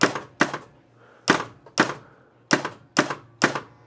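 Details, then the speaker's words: 1967 Williams Magic City electromechanical pinball, scoring from pop bumpers: points come slowly, then sharp uneven solenoid thunks, about seven in four seconds, as the score reels stumble once scoring reaches 100 points; score reel malfunction. "and there's when I have trouble"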